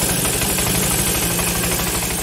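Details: Carbureted Honda Vario 110 scooter idling smoothly with a steady low pulse after repair, the earlier tik-tik metallic ticking gone.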